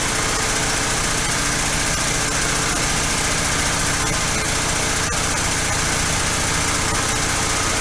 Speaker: okay still idling way too high i've got the idle screw backed off and i hear a lifter tapping a little